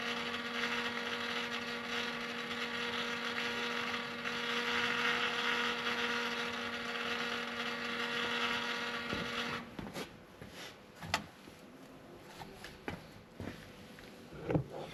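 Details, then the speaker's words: 2016 Ford F250, after fuel filter replacement, key cycled: fuel pump runs a steady fixed-pitch hum about nine seconds before shutting off, still priming longer than it should. "So, I said we'll keep cycling. It shouldn't run that long. Should already have the system pressured up. So, it's still working getting it all primed."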